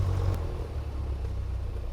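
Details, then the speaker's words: Light airplane piston engine idling at about 700 RPM after a 1,500 RPM run-up that showed 0 PSI fuel pressure: a low, even piston rumble with no misses or rattles. Idle is then nudged up slightly. "See if it'll idle. 700, not bad. Crank the idle up just a smidge."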